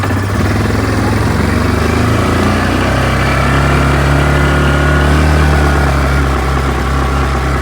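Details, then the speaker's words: 2024 Yamaha Grizzly 700 SE ATV at startup: steady even low idle thrum with no knocks or misses, settling smoothly; engine runs really nice. "let's go ahead and back it out and we'll see if there's anything we dislike on Startup oh Run's really nice"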